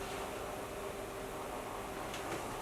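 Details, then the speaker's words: Retro PC running Windows 95: even steady whirring hum with soft constant tone and no rattle, CPU fan running normally. "here we are in my Windows 95 installation with my CPU fan humming away"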